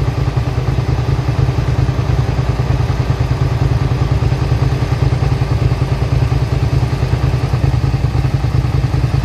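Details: 2003 Suzuki SV650 V-twin, warm with a new radiator, idling with a steady, even low thump under a constant cooling-fan whir. Temperature cycles about 210-217 as the fan runs. Normal idle.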